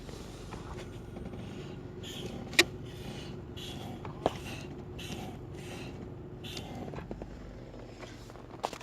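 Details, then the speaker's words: Acura RL, stationary with the engine running, faint high squeak each time the brake pedal is pressed; the owner says it is not the pads and is unsure whether the master cylinder, calipers or pedal is the cause. "it's only when I step on the brake just squeak I don't know if you'd be able to hear it I'll give it a shot"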